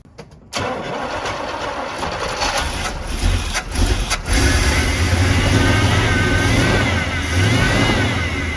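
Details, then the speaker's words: Carbureted truck after flooding carburetor was cleaned and bowls filled, catching then coughing and stumbling while revving, misfiring in cylinders believed full of water, with water vapor from exhaust; expected to improve as water burns out. "notice how it's like coughing and spinning because it's literally misfiring in those bores that are full of freaking water"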